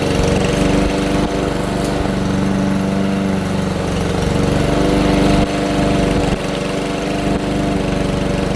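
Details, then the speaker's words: Troy-Bilt TB320 push mower, Briggs & Stratton 625EX 150cc single-cylinder, after tune-up with new air filter and spark plug for bogging and dying: steady even running, no misses or surging, running much better. "I know it's hard to tell on camera but yeah it's definitely running a lot better"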